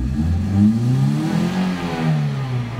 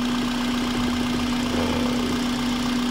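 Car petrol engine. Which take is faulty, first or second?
first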